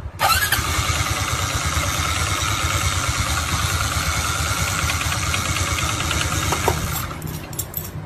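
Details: Honda RSX 110 motorcycle: a harsh, raspy buzz over the small engine on starting, caused by a faulty starter one-way clutch with six rollers.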